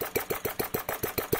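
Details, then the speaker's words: Engine DIY Retrol model four-stroke petrol engine, drill-started, simple carburettor running very rich: quick, uneven, lumpy chuffing about six or seven beats a second, picking up then wanting to quit; rich running and surging near stall. "You can hear that sweet spot where it keeps on picking up, keeps on sucking fuel, and keeps on firing you, but now it wants to quit."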